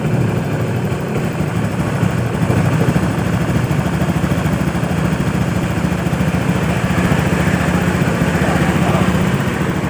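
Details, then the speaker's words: Honda Beat FI scooter after repairing a seized piston (piston and piston pin sanded until smooth), pressure raised from 20 to about 40 PSI; steady, even low putter with no misses or knocks, engine idles smoothly and normally. "Alhamdulillah bisa nyampe ke tekanan sampai 40 PSI Tadinya 20 PSI, sekarang 40 PSI. Ya, sampai 40 PSI. Jadi motor ini hidupnya sudah normal, ya, sudah bisa setensioner."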